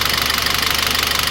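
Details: Citroën C4 2.0 at idle. Fast, even, light ticking of about fourteen taps a second over the idle; oil pressure, oil pump or the camshaft hydraulic lifters had been suspected.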